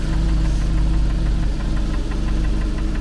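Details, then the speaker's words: Engine running with fluid spraying: low steady clatter with a knock about four times a second, once per crankshaft turn, so not the connecting rods; exact source unknown; ticking knock. "on se rend compte quo que c'est bien chaque tour d' braquin mais pas un tour de le braquin que il y a ce claque. Donc déjà, c'est pas les bies, c'est sûr."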